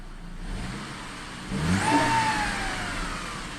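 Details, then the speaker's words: Saab 9-5 with the pre-2004 T7 engine at 277,357 km, at startup and revving: a thin whine rises with rpm and fades as revs drop; indicates a clogged or bad oil pickup. "yeah then you know we have a bad oil pickup"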